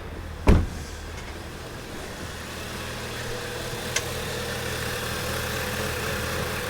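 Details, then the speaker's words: Audi TT coupe started after a long layoff, with intake, air filter and mass airflow sensor installed: a low, unsteady idle hum with a faint wobble and no clean rhythm. Rough idle with an unexplained sound, cause not found. "And it's running rough already. I don't know where that sound is coming from."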